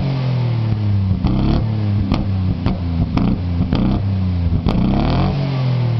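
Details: Ford Sierra XR4x4 twin turbo: revs rise and fall with sharp cracks and pops and flames through the exhaust between revs; misfire with unburnt fuel backfiring.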